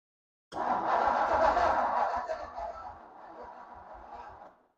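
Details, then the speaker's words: 1957 Ford Thunderbird barn find, off the road over 50 years, on a borrowed battery: the starter drags the engine at about three compressions a second and fades out after four seconds, slow cranking from a weak battery. "all right I think my battery is still trying to give up here let's put it in m down mode and go For Broke"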